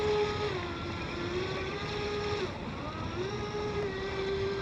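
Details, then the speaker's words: Seaducer SD3 FE-30 30-inch RC mono hull, 3660 1700kv brushless motor, 150A Flycolor ESC, SMC 4S pack, on water: a steady high whine jumping up in pitch and dropping back as the prop loses grip and bites again; the prop is ventilating. "You hear the ventilation. All right. She didn't like that."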